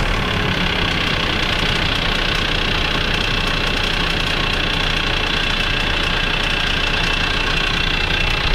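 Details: Kia Sorento D4B 2.5 L diesel at idle: fast, fairly regular light tapping over the diesel clatter; suspected hydraulic lifter (lash adjuster) tick, not confirmed.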